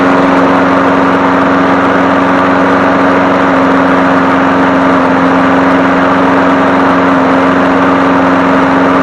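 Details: 2001 Craftsman 21-inch push mower 917.388721 after crankshaft oil seal replacement and oil change, oil slightly overfilled: steady single-cylinder drone, unwavering hum at constant speed, no surging or knocking; normal running.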